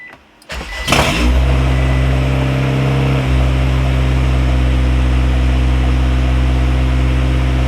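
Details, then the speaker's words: Honda Civic wagon, B-series engine, with a vacuum leak and check engine lights, started as if cold, targeting about 1700 rpm high idle: cranks, catches at once, then settles to a steady, even high idle with a slight step down. Normal cold-start high idle. "we're gonna pretend this is like the first time i'm starting it up i'm shooting for like 1700 at a high idle let's see if this works"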